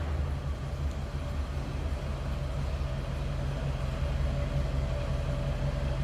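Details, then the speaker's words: 1978 Cadillac Eldorado Biarritz V8, same family since new, idling and heard from the rear at the tailpipe: a smooth, even low rumble with no misses, ticks or knocks; normal, very stock-sounding idle. "It sounds as you'd expect. Very stock sounding."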